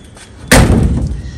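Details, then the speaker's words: 1965 Chevrolet Nova sedan, rescued project car: door closing with one firm deep thud, no rattle or tinny ring; door and seam good, body solid except the roof. "you hear that the door sounds good look at the seam on that that's not bad"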